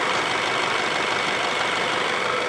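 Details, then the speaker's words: 2008 Ford Fusion being diagnosed for P0757 stuck shift solenoid B. The engine idles even and steady with no knocks or surging. Slight lifter tick is present at cold start and goes away when warm. "a good sounding engine I mean listen to it I"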